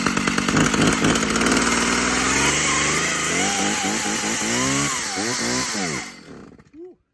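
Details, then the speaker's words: Old Stihl or Husqvarna chainsaw, choke on, with old gas and an old spark plug: screams at high revs, then surges and sags unevenly before dying. Runs rough; suspected to need fresh fuel and a new plug, and it feels tight. "This is gonna need some new fuel in it. Yeah, super tight."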